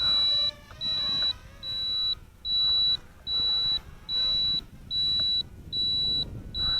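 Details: Eachine 3D X4 quadcopter flying inverted outdoors: steady high-pitched beeps about every three-quarters of a second over faint rotor whir, signalling inverted flight mode.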